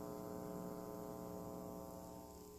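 A steady low electrical hum with buzzy overtones from the speakers, caused by a power adapter sitting beside the mixer.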